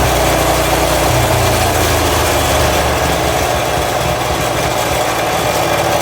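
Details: Toro SG-6 stump grinder, Honda GX200 engine, after turning idle stop screw 1/4 turn right: steady even idle without dying or hunting; normal idle.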